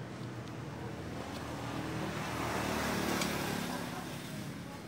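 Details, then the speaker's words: Single-cylinder diesel R180 that was hard to start from lost compression, running after valve rework and piston and ring checks: steady even thumping about four beats a second, smooth and regular. "baik tadi sudah kita coba ya dan sudah oke siap diambil pemiliknya mudah-mudahan awet dan lancar"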